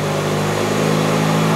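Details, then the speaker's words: ConsuLab bench 1.4L GM (Chevy Cruze) GDI engine in drive during a stall load test, brake and throttle applied: smooth, even hum pulling up slightly under load, no knock or rattle; healthy engine. "so the engine is presently under load and if we put too much load onto it then the wheel will slip and it will disengage"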